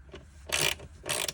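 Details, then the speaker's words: Peugeot 205 1.9 GTI off the road 15 years, wiper motor removed and bench-tested: two sharp clicking bursts about half a second apart with no motor spin-up; the wiper motor clicks but won't run. "because you can hear it clicking as if it's trying to work but it just don't want to work for whatever reason"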